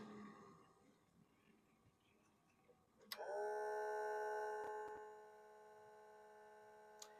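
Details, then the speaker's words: Panasonic NV-2110 U-Matic 3/4-inch video cassette player, play pressed with a tape: steady buzzing hum starts then drops away after two seconds without normal running; suspected belt off or something not contacting the motor, unconfirmed. "And Houston, we have a problem. So we're going to need to open this thing up and see what's going on inside. Sounds like a belt came off or something is not making contact with a motor."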